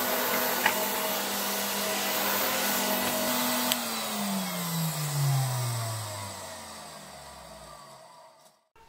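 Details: 1966 Alfa K2 (A7F) vacuum with an SK-5b motor, reassembled and run at slightly reduced voltage. It runs at a smooth, steady pitch, then winds down evenly with no grinding or rattle. The motor is healthy.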